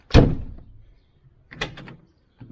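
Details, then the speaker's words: Shorty van front door after repairs and sound deadening, window, lock and latch working: single deep, dull thunk on closing with no rattle or tinny ring; solid, well damped, unlike the untreated door. "now that's what that door sounds like."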